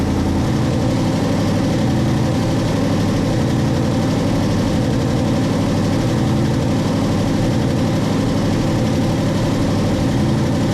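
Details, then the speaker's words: Drag truck's first fire-up after a two-year build, with the data screen showing nothing. It fires right away into a deep, steady idle with an even beat and no knocks, misses or hunting; sounds healthy. "So I'm gonna put the laptop back on it and we'll start up again, but that thing fired up right away. Sounds healthy."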